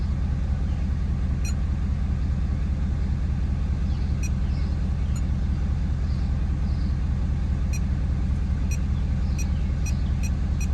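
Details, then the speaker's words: Ford F-250 6.7 L Powerstroke diesel after fuel filter conversion and key-cycle priming: deep even idle at about two and a half beats a second; smooth, healthy. "it took a little bit of start to I mean not even that bad honestly so sweet"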